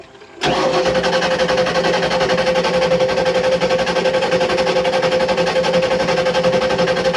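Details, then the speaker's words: 1986 Shamrock 20 boat, Ford 302 V8 not started in 3 years; oil pressure present, fuel pump heard running but carburetor bowl dry, pump wiring possibly reversed. Steady even cranking chug, about four beats a second, never firing: crank no start, fuel starvation. "I do believe it is a fueling issue. So stand by. All right. Yeah, it's a fuel problem. We need our bowl is dry."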